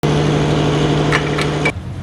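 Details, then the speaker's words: Engine running with a hollow, rapping knock under a steady hum: piston slap. Fix may need only rings, or rings, pistons and cylinder block; the plan is to replace rings first as the cheaper option. "هاي احنا ما نريدها تكون موجوده سامعين بالماكينه الساطره او البستان"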